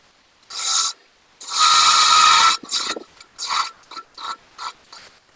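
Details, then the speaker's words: Wood lathe turning a madrone finial held in pin jaws: smooth hissing shaving bursts with each pass, no rattle or chatter; clean slicing cut with the bevel resting and little force on the tool. "so i love that cut where that bevel's resting on there and i'm just basically slicing and pushing the tool that way i'm not putting a lot of force on it"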